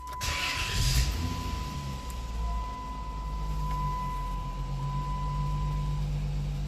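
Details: 2002 Chrysler 300M after camshaft sensor replacement for code P0344: brief crank, then it catches and settles into a steady, smooth idle with no misses or knocks; normal start, check-engine light stays on until code reset.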